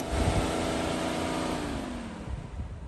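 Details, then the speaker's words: T1N Sprinter diesel van (2000-2006) no-start: radiator fan roars with key on then tone slides down as it slows; fan triggered here by unplugged AC drier sensor; otherwise blown fuses 17/18 or ECM fault. "Obviously, that fan comes on with the key, it's probably going to be an ECM problem. But check fuses 17 and 18 down here first. If both of those are toast, that fan will come on."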